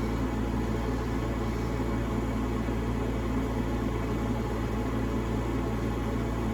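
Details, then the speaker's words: Bryant Plus 90 high-efficiency gas furnace in tight attic, after replacing bad (burning) inducer motor: ignition, then blower kicks on; steady even hum with low drone, no knocking, rattling or squealing, normal operation (tech suspects cracked heat exchanger). "look at that they have ignition hope that blower kicks on there's a blower"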